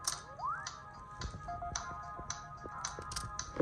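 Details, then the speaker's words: Sony AIBO ERS-210 robot dog booting on a freshly recelled, charged battery pack (about 7.5 V, in a printed enclosure): short rising chirp, then sparse electronic tones and blips over quiet background; normal startup, recell successful. "you can see, he's booting just fine. So yeah, this has been a successful Recell."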